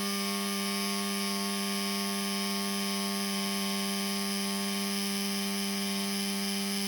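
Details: Laptop cooling fan suddenly noisy, CPU overheating and shutting down: steady high buzzing whir with a gritty, rasping edge that never lets up; noisy cooling fan.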